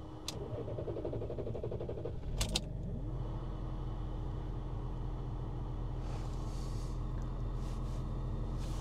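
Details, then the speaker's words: BMW X5 diesel hot start test after replacing high-pressure pump solenoid (glow plugs also replaced), restarted after 15 minutes heat-soak: starter cranks a few seconds then catches slowly into steady idle; much better than before but still hard hot start. "Ikkagi koba peale. See on heck of a lot better than it was nagu."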